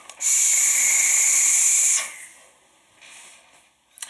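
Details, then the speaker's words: Wotofo Serpent SMM RTA atomizer: loud, sizzling crackle for about two seconds as the coil fires, with spit-back into the mouth that the owner blames on the design, not wicking. "hear that crackling I'd spit back I'd get a lot of spit back in my mouth"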